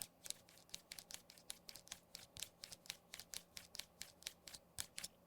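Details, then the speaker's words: Apple FineWoven case on iPhone 15: quick light clicks about four a second as a finger rubs the loose metal buttons, which rattle and move in the case. "if you shake the phone you can hear the buttons rattling around if I rub my finger on these you you can hear it"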